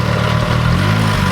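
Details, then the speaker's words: Nissan 240SX with freshly turbocharged KA24DE-T, idling after driving home: heavy loud diesel-like clattering knock through the whole idle, no oil; suspected dropped valve, not confirmed. "you sound like a freaking diesel yeah not good news just listen to that"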